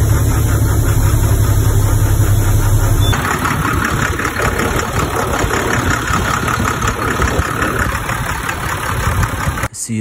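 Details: International snow plow truck with International engine, previously hard-starting, after reinstalling the intake air heater relay: deep steady diesel rumble at an even idle with no misses or knocks; running normally.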